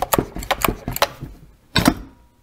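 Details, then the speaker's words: Stihl MS211C chainsaw, new, easy-start recoil: pulling slowly winds the starter spring with quick ratcheting clicks, then a short burst as it releases and turns the engine over, working normally. "see that's what it's doing it's winding it up and turning over so if you just yard that out a bunch it's probably going to turn it over four or five times"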